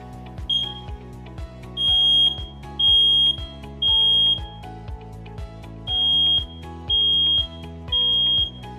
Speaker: it's important that everyone in your home learn the sounds of fire safety and understand that smoke alarms and carbon monoxide alarms have a specific sound when activated a working smoke alarm beeps three